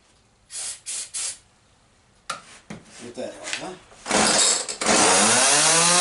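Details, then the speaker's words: Small two-stroke tool that had sat for years, started with choke half out after its slightly dirty carburetor was cleaned: a few rope pulls, then it catches and settles into a crisp, steady buzz; normal running. "Well, that's unexpected. Started right up."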